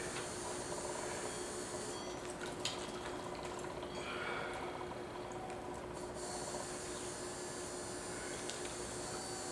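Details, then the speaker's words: Honda Dio stroker moped with twin electric water pumps running together on newly filled radiator lines, at night before kick-starting. A steady low hum with water trickling and gurgling through the lines. Normal electric coolant pump operation. "And see if you can hear the electric water pumps. Okay, water pumps are started."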